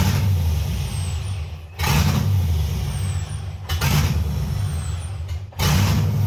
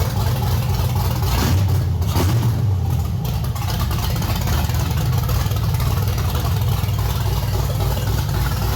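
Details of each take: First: 1989 Chevy S10 Blazer LS swap on the LS1 intake: idle surges and sags about every two seconds, never settling; rough idle from a vacuum leak, the MAP sensor was left off, leaving an open hole in the intake. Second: 1989 Chevy S10 Blazer with LS swap and NV3500, LS1 intake, in neutral, first start in a couple of weeks on the stock cam: deep, uneven lumpy idle with a steady low rumble, no knocks or squeals; normal choppy cam idle.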